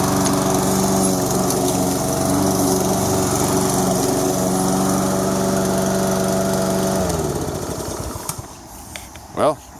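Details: Toro SR4 Super Recycler mower, 159cc engine, after fixing surging by cleaning debris from the carburetor: steady, even drone with no hunting or surging, then winds down smoothly on shutdown.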